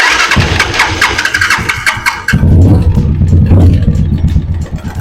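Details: Italika DM 200 single-cylinder motorcycle engine idling with a fast metallic ratchet-like clatter over a low thump. The owner first suspected the rockers or the clutch/oil pump side, and the noise was traced to timing gear rattle.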